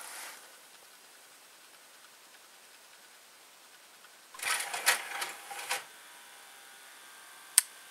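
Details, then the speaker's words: Mechanical timer plug-switch repaired after its timer mechanism was knocked loose, likely from an impact: quiet ticking, then light ratcheting clicks as the dial turns (one notch is a quarter hour) and one sharp switching click. The timer works normally. "Est-ce qu'on entend le tic-tac? Ouais. Je sais pas si on l'entend, mais moi je l'entends."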